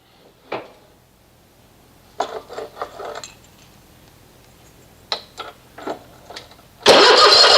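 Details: Toro TimeCutter SS 4225 mower, unused since August, about 40°F: short bursts of cranking that never catch, with quiet gaps between tries; spark confirmed good, battery dead, cause otherwise unconfirmed.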